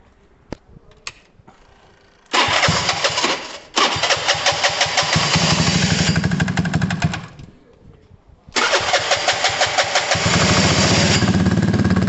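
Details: Gilera DNA 125 being warmed up: short starter bursts then catches into crisp steady thumping beat holding through throttle blips; runs clean, normal running.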